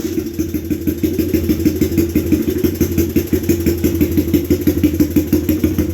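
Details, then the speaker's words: Honda ATC 200X single-cylinder with 389B Web cam, 10.25 compression, Curtis Sparks head, PZ carb; loud, choppy, lumpy idle about three pulses a second, steady and healthy; normal idle with aggressive cam. "She's pretty wicked. That actually is the cam I got when I bought that Curtis Sparks head."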